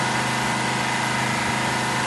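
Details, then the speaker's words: Supercharged, twin-turbo 24-litre Detroit Diesel 16V92 two-stroke V16, near 1000 hp, with custom billet CNC exhaust manifolds: dense, fast, steady buzzing drone that sounds high-revving because it fires twice as often as a four-stroke; normal running. "So, when the engine is doing the same RPM as a four- stroke engine, it sounds like it's revving twice as fast because we can hear twice as many combustion cycles."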